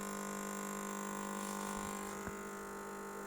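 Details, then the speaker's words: Microtek EB1100 inverter on battery with fuse fitted: loud steady hum of fixed low pitch, very low output of about 5 V with high current draw, and no gate pulse on one side. A faulty transistor is suspected. "यह Micotk EB 1100 note working fuse लगाते हैं तो humming करता है और Brunt कर देता है। इन्वर्टर में ये समस्या सबसे ज्यादा होती है।"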